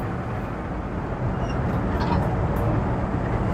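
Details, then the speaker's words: V8 Red Express truck with Holley Sniper EFI, after IAC adjustment and a spacer, under throttle on a test drive: a smooth, steady pull with no intake whoosh or jet-engine noise, less bogging, healthy and responsive. "So I'm in the gas, not hearing any. Oh, yeah, buddy. Much better. No more jet engine noise."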